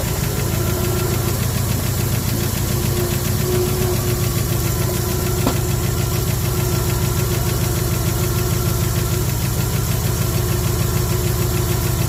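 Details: 1974 Ford F100 V8 parked 21 years, runs with vacuum leaks: lumpy, uneven low idle with one beat regularly missing. Misfire, one dead cylinder; cause not confirmed.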